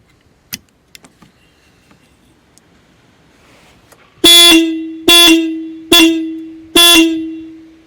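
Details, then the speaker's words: Skoda Fabia Mk1 1.9 PD single horn, plugged back in after resistance testing (about 140 kilohms, open circuit when horn switch pressed). Quiet clicks then four clean loud honks about a second each, steady tone; horn working properly. "So I plugged the horn back in to see if it worked."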